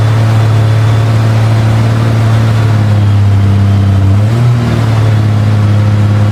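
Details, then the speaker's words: 1998 Honda Goldwing GL1500 SE flat-six with messy rewiring: smooth low hum holds only while the start button is held, then sags and cuts off; owner suspects cold engine or bad alternator, battery around 10–11.5 volts. "maybe it's cold I don't know let's see when I off it just cuts off"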